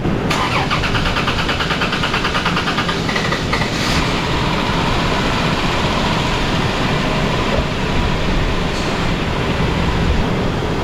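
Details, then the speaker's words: Engine started after spark plug work and fixing a loose battery negative terminal: cranks briefly, catches cleanly once fuel pressure builds and settles into a steady, even idle with no misfire or knock; normal start. "Once we got fuel pressure, fire it right up."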